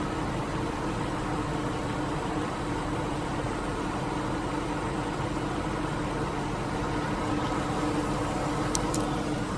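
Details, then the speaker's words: 2001 Lincoln Navigator with the 5.4 Triton V8 idling steadily with a fast, light ticking and tapping running through the engine; cause unknown. "So this is my 2001 Lincoln Navigator with a tickling sound. So what the hell is this?"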